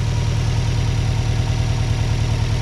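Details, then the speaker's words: Subaru checked for a suspected vacuum leak after a hissing while driving: steady low idle with an even pulse and no hissing, whistling or audible vacuum or air leak; sounds normal, hopefully fixed. "well boys and girls i don't hear anything i don't hear any hissing or anything like that or any audible vacuum or air leaks hopefully we fix the problem"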